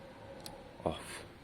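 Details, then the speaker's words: Peugeot V-Clic brake light switch after being padded out with an extra plate and greased, switched on and off repeatedly: crisp, small clicks in a quiet room. The brake switch is operating normally. "Now you can hear the click. Look, on, off, on,"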